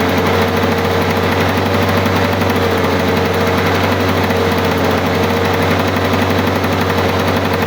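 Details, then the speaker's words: 1985 Lawn Boy 7350 two-stroke mower, sat outside at least three years, just started after priming; rapid, even popping at constant speed with no misfires or surging; owner says it sounds pretty good, normal idle. "she sounds like a long boy girl that's pretty good"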